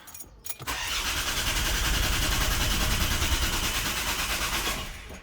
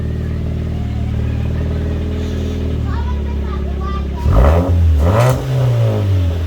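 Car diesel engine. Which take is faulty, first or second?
first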